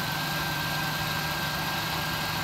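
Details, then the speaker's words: 1999 Ford Taurus 3.0 OHV V6 idling on its own after a jump start from a fully discharged 9.9 V old battery, with a replacement alternator charging. Smooth, even, steady low drone with no misses, knocks or whine; normal idle. "Went through three bad alternators to get a good one. And she's running under her own power now. Charging up."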